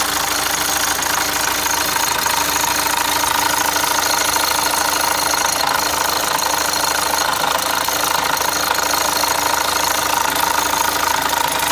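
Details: Opel Zafira Tourer 1.6 CDTI diesel idling right after starting: fast metallic clatter of about three beats a second, occasional for two months and on every start for two weeks; owner suspects the timing chain; engine noise at start.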